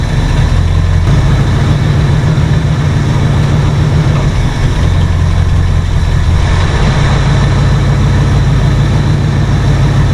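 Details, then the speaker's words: 1968 Ford F100 V8 with a new cheap carburetor whose intake gasket is leaking badly: steady, fast, even idle that never settles down; choke held on the first fast-idle step keeps the revs high. "huh something to do with this choke there's a there's a first star high idle"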